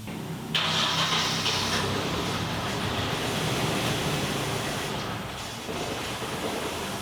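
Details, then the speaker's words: 1991 Nissan 240SX, off the road 10+ years: steady starter churning about three beats a second that never catches; cranks but won't fire, suspected bad old gas. "You still got bad gas, so it gets in there."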